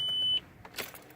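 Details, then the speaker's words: 2002 VW Passat wagon with EPC light on will not start: turning the key gives one short chime then silence, no starter click or crank, and the key sticks. Previously stalled; fuel pump, filter, MAF and crank sensor replaced; scanners read no codes. "my car won't start and I have the epc lie on but when I turn on the key it's not doing nothing"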